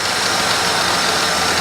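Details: 2000 Holden VT Commodore, about 144,411 on the odometer, started on the second try: even, steady idle with a smooth hum, no knocks or misses; engine quiet and healthy.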